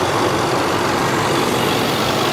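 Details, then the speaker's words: 2010 supercharged 510 hp Land Rover Range Rover idling: even hiss with light fuel-injector ticking, no timing-chain slapping or rattle and no supercharger coupler knocking; engine idles healthy. "and other than fuel injection I don't hear anything I don't hear anything at Wow."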